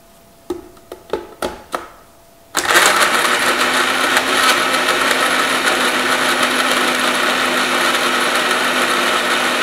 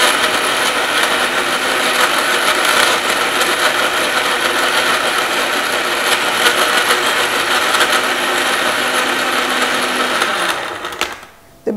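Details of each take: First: Blender making a vanilla shake with ice and water, later blending round: a few taps, then the motor spins up to a steady high whir with no ice clicking; the ice is blended and it runs smoothly. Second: Blender crushing ice: loud steady motor roar with a rough, uneven rattle and clicking as unblended ice chunks knock around the blades. It may take up to three rounds of blending and shaking before the clicking stops, meaning the ice is not yet fully crushed.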